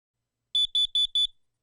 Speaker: thankfully that's what carbon monoxide alarms are for they detect carbon monoxide in the air and alert us to any danger when one goes off it will sound like this